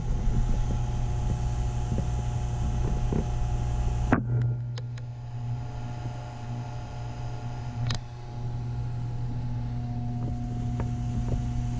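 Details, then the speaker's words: Taco circulator pump in a heated driveway snowmelt system, tested before startup: constant low hum under water-flow noise, changing pitch when pushed on; owner suspects vibration through copper piping, not air, possibly normal. "the part i'm not sure about is the hum you hear the humming the i can hear that this pump"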